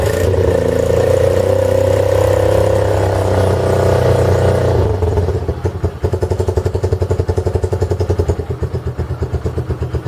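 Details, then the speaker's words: 2015 Honda CB1 125cc single after repairs, choke off, started on the electric starter: catches, revs briefly, settles into a steady even putt-putt idle; running healthy. "idling look at this it's a honda she's island oh damn nice man this is this is cool it was definitely a long journey to get it but she's idling"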